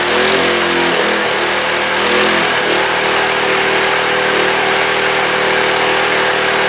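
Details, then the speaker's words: Trailmaster go-kart small single-cylinder engine, after sitting over a year, now running after two carburetor cleanings with throttle response; steady buzzing idle far too fast, and the idle adjustment still needs to be found. "Well, that's a heck of a lot better. Although it's it's idling super fast. I got to find the adjustment for that."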